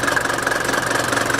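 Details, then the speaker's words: Mercedes T1 310D/308D diesel (OM601/OM602) with idle speed adjusted via the lock nut after a throttle system overhaul: a low, even clatter at a slow, steady beat with no hunting or misses. A healthy idle. "So, I like to have it just tundling. Not too many vibrations. Just trundling on."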